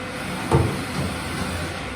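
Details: Haas VF3 mill with new way cover seals, spindle in low gear, Y-axis jogged then rapid G28 return: a short sliding rumble, then an even low running sound with no scraping or catching; the covers sound healthy.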